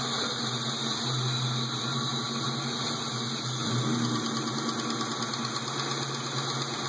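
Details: 1996 Ford Mustang GT V8 holding steady revs: faint rough ticking over the drone, happening only on throttle and worse under load; cause not yet identified.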